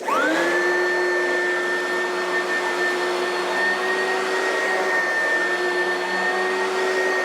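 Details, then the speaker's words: Oreck vacuum after overhaul with new used brushes still seating: motor whine climbs quickly to speed then holds a clean, steady pitch, no grinding or flutter; normal running. "I want you guys hear how it runs the new used brushes they're still seating in which is to be expected nothing out of in the realm of what's supposed to happen"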